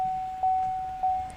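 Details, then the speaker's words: 2016 GMC Canyon 2.8L Duramax diesel after fuel filter change, key on, engine off: steady high-pitched whine with a couple of soft clicks as the fuel pump primes the new filter normally. "let's get in here turn it to the on position and you can probably hear that whining sound out here the fuel filter is priming itself or the fuel pump is priming the filters"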